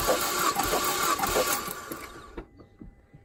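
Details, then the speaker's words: Mazdaspeed 3 compression test on a cold engine: the starter turns evenly at about four beats a second without firing. The cylinder reads some compression but under 90, which is low. The engine is to be rebuilt. "got some but it's not up to 90 no no this motor is definitely getting rebuilt"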